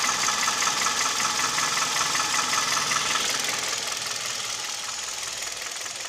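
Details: Kia/Hyundai G4KD Theta II engine with piston knock. A steady light ticking knock, two or three per second, easing slightly as load comes on. Also vibration at idle, knock at 1500 rpm, and noise under load (A/C compressor, mirror/glass/seat heaters on).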